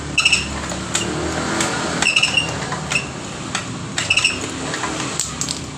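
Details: Honda Vario 125 (old model) ACG starter: high scraping squeak in short bursts about once a second while cranking, gone once the engine runs; starter problem suspected, cause not confirmed; squeak while cranking.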